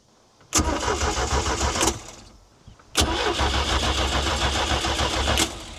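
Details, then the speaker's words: 1978 Sylvan boat with 2.5-liter inline-four MerCruiser 120: two bursts of steady starter cranking, about three and a half turns a second, with no catch; the engine cranks but won't fire, and the owner suspects no spark again. "What am I missing? Do we got no spark again?"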